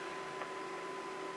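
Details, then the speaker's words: Dynatron K-21 CPU cooler (8,000 RPM fan, about 8,500 RPM via Noctua controller) in Alienware Aurora R8 under Cinebench, CPU near 100°C: steady thin high-pitched whine, no rubbing or buffing; normal full-speed fan. "we're up to 100 c and you can hear the fan starting to kick in again i would say these right now are a lot quieter than they ever have been just the fact that you don't have that buffing noise and you can hear the high-pitched squeal i'm i'm hoping you can uh of that cpu cooler"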